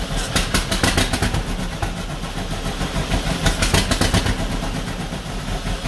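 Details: 1949 John Deere B two-cylinder, first start after engine rebuild: slow, uneven thump with stumbling beats and surging, no even rhythm; rough running with vibration, parked on a slant, possibly running out of fuel; cause not confirmed.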